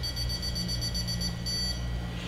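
A steady electronic beep holds while the button is pressed, the normal calibration tone before scanning.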